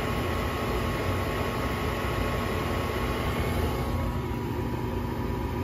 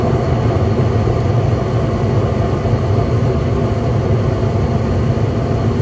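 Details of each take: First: York 80% gas furnace, emergency no-heat call with pressure switch cycle lockout (6 flashes): after a thermostat power cycle, a steady whooshing inducer motor hum with no ignition click or burner light-off; main control board later replaced as defective. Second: York 80% gas furnace on a no-heat call, after ignition: steady, even burner and inducer rumble with no surging, and the fan relay clicks on. Nothing flashes on the control board; a thermostat fault is suspected.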